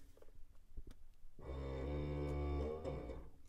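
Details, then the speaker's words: 1995-2002 GM truck Kelsey-Hayes EBC310 four-wheel ABS modulator during a Tech2 automated bleed, vehicle lifted, in park, brake pedal pressed; steady low buzz about a second and a half then stops; normal cycling, test completed with no problems. "basically doing its thing feels just like um when you've got four-wheel four-wheel antilock brakes engaged"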